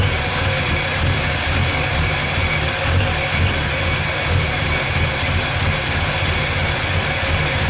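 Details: 1985 Ford F150 with 300 inline-six just fitted with a new carburetor and distributor: idles steadily and evenly under background hiss with no stumble or miss, the best it has run so far, though gas leaks from the fuel filter.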